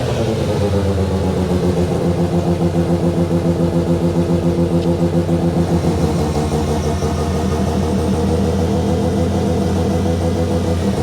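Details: Mazda 13B bridgeport rotary, first start after build, idling while coolant temperature is watched and the cooling system bled; fast, even pulsing idle holding steady with no misses or knocks, rotary running healthy.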